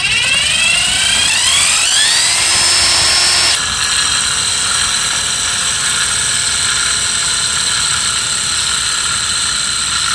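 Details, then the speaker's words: Mercedes S600 alternator, spun off the car: whirring rising then steady rough rolling marble-like hiss; worn alternator bearings, unlike the quiet new replacement. "so this this marble sound has bearings okay"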